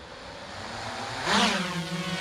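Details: GoPro Karma drone after repair including ribbon cable work, re-paired and tested: rotor whine climbs smoothly in pitch, then settles into a steady even buzz, motors spinning up cleanly and healthy.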